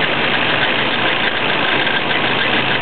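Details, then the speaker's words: Stock 1992 Nissan 240SX, 138,000 miles, on premium fuel, warm idle: steady busy clatter from the top of the engine, apparently from the head, absent cold at 1200–1300 rpm idle. Cause unknown; owner suspects valve tap, wobbling pulley, cam bearing or timing chain. "it sounds like it's coming from the head carel and if the engine's cold I started up and it's iding at 1300 1200 you don't hear this this noise I don't know exactly what it is"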